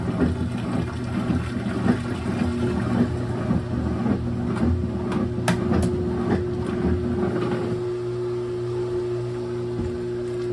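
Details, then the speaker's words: GE top-load washer after motor replacement, diagnostic mode load test: drain pump steady low constant-pitch hum with water sloshing, no grinding or rattle; normal drain pump operation. "that's a fast agitate next one is drain pump everything is working"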